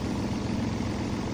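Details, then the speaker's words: Toyota Avanza/Daihatsu Xenia idling at 800–900 rpm while the ECU output voltage to the idle speed control (ISC) is measured, after a complaint of high, unstable idle with code P0505. Smooth, even idle with no surging. The output voltage fluctuates, showing the ISC works normally. "Oke, nampak fluktuasi dari tegangan output. Ini menunjukkan bahwa ISC bekerja terhadap pengontrolan idling suatu mesin."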